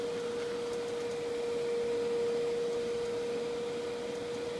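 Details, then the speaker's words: Hydro Flame RV furnace from a 1989 Teton Homes fifth wheel, bench test after blower motor replacement; after a start delay the fan motor runs with a steady clean hum, no rubbing or wobble, before the burner ignites; normal blower operation. "once the time's in and you get the fan motor going then the gas valve opens up and the burner ignites in that sequence i hope so this time there goes the motor"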